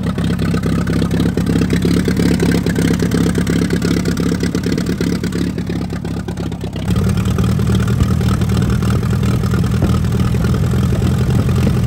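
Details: 1945 Allis-Chalmers WD 4-cylinder gas tractor, sat for years, after clearing a rust-filled fuel line: steady low chugging idle with even firing, then a clean step up to a slightly faster speed, running smoothly.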